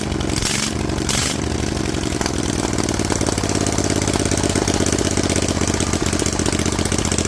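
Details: Rebuilt Vanguard 16HP with a 23HP carb, open air filter and header, restarted with the loose spring reattached: catches after a few rough coughs, then settles to a steady, even idle with no knocks or misses. Normal idle.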